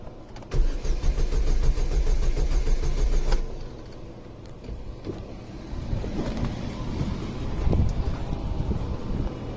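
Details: 2005 Saturn Ion 2.2L five-speed with a new clutch from another shop, said to have jumped timing: starter spins the engine evenly for about three seconds without firing; fuel pressure gauge read zero and a compression issue was seen.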